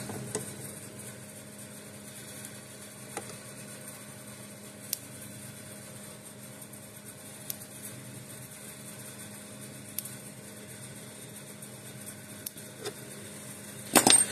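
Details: Gallagher S10 small solar electric fence charger, tested in a dark room; faint sharp snaps about every two and a half seconds over room hum; normal even pulsing.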